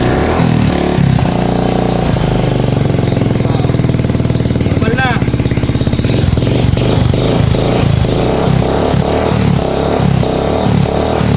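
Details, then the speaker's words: 2017 Suzuki Smash 115 with a carbureted engine and rapid backfire, after a new spark plug cap and a leaking hose pulled: the single-cylinder idle chugs slow and uneven, nearly stumbling. Carburetor idle speed set too low. "baba na menor sobra yan cut mo Ah."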